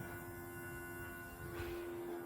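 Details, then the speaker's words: Datsun Roadster with engine off: aftermarket electronic fuel pump gives a steady mid-pitched whine but has completely failed, delivering no fuel. "but we've got no fuel here, unfortunately."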